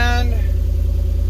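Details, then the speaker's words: Ford E250 van, just revived, at the tailpipe: deep, loud throbbing rumble with a quick steady pulse, sounding like a mud truck. "far as the exhaust goes well you know i mean it sounds like a mud truck right now"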